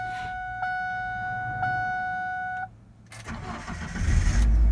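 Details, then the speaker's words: 1999 Ford Ranger 2.5L after starter replacement and new battery: warning chime, short pause, then quick crank that catches cleanly into an even idle; fault was a bad starter. "awesome she's working really great so now the car did start"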